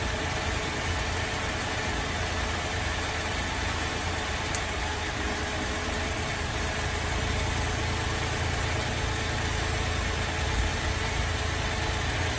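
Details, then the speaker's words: Holden VZ Adventra Alloytec V6 idling very rough, steady speed, irregular stumble in low drone while coils are disconnected in turn; misfire later traced to failed number 5 coil pack. "So I'm going to start the car up. It's running very rough and we'll disconnect a coil at a time and see which one we think is bad."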